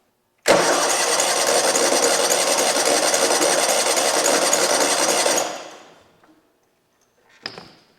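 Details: Abandoned 2003 Exmark zero-turn mower on its own fuel system with choke: starter churns steadily about five seconds but never catches; choke cap pops off, fuel pump leaking; cranks, no start.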